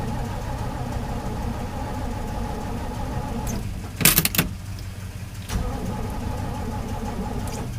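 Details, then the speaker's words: 1968 Chevy pickup, cold snowy day, choked, owner suspects previously flooded, weak jumper connection then tightened; long steady cranking with no catch, pause, more cranking; extended cranking, no start. "hit her again kind of sounds like it wants to start hit her again but not getting nothing so far"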